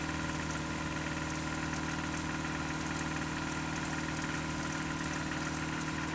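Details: Just-bought Toyota 4Runner 22RE, cold start, filled with 5W-30 oil: cold idle with a steady light knock of roughly two beats a second over the engine hum. Owner suspects timing chain and/or rod knock, unconfirmed.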